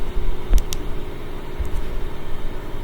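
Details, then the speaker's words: LG washer with LE error after Hall (rotor) sensor replacement, highest spin speed: even whooshing spin with steady low hum, no thumping; it only quivered before, now normal. "Before it was just quivering, and now the computer is able to talk to the rotor because it has a new Hall sensor. So the high-speed spin looks really good. Back to normal."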